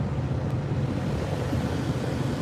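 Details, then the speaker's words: 2010 Jeep Grand Cherokee 5.7 L Hemi HVAC blower, after clearing acorns and mice from the blower, no more vibration, on low: smooth, constant rush of air with a steady hum and no rattles; normal, powerful blower. "blower sounds good it's a nice powerful it'll be good when we get the air conditioning going but even all the way on low it blows pretty well"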